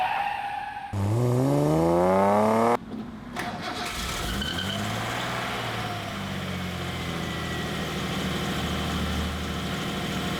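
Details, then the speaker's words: Datsun 240Z with SU carburetors: starter cranks about two seconds, then the engine catches cleanly and settles into a smooth, even idle. Carburetors sound balanced, sounds amazing. "And I'd have to say that that sounds amazing too."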